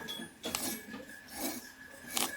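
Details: 2004 Ford Ranger with 192,360 km: its AC compressor has no compression and the clutch plate's rubber buttons are missing or coming out; the pulley spun by hand gives rough, rasping scrapes in bursts from a worn-out clutch bearing.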